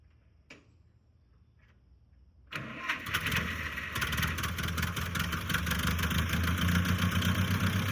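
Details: 1955 Massey Ferguson MF65 tractor after carburetor rebuild, new points and spark plugs: quiet, then the starter catches and it fires straight into a steady, even idle with no misses or knocks.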